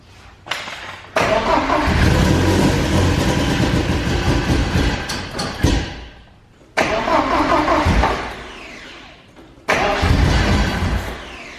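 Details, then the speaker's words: Porsche 944 race car, full exhaust with header, first start attempts: catches, runs raggedly, sags and dies, restarting twice and stumbling each time; crew suspects no fuel reaching the engine, unconfirmed; stale gas later found to be the cause. "But I'm thinking that we're still not getting fuel, right? I think we're probably still not getting fuel."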